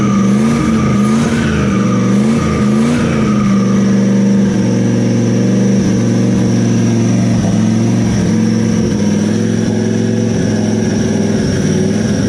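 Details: Turbo LS V8 Camaro at its first start after the turbo was mounted (no cold side yet, oil feed and return rigged, throttle temporarily zip-tied): loud, open, deep V8 revving cleanly with a rising turbo spool note and no misses or knocks. Normal running.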